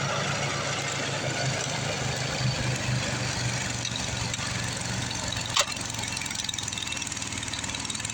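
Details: Craftsman 826 track-drive snowblower after an auger belt replacement with a 31-inch belt: the small single-cylinder engine holds a steady working speed under load, even and unbroken over a rushing background. Normal running.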